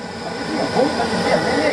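A steady, even roar of fan and flame with a faint high hiss and no pulsing or surging; the burner is firing steadily.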